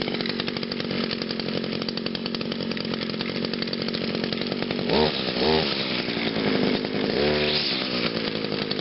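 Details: Echo SRM 2400 SV string trimmer, cold start on choke after five primes: buzzy two-stroke holds a steady high idle, picks up cleanly on two quick throttle blips and settles back; engine healthy.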